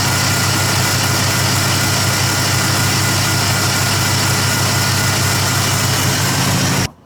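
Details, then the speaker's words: Ford F-150 with a new engine noise after driving through deep water: a steady idle hum and faint whir from the front belt accessories that tracks revs. Suspected pulley or bearing among alternator, power steering and A/C compressor. Found: belt tensioner pulley bearing. "actually from where I'm standing, it sounds like it's a pulley or a bearing."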